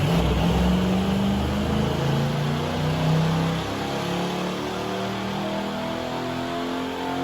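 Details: 1978 Chevy C10 with apparently rebuilt 400ci small-block V8, small cam (about 0.430–0.440 in lift), Edelbrock dual-plane intake, 650 carburetor, long-tube headers, 2.5 in exhaust, TH350, on baseline dyno pull (221 RWHP): deep even burble pulling up through revs then easing off; normal revving.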